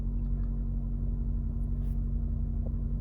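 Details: 2014 Nissan Rogue with 49,000 miles, which came in running rough with misfire codes for cylinders 4 and 2, random misfires and lean codes. After the coil and spark plug tune-up it has a low, steady, smooth idle with no stumble, running good.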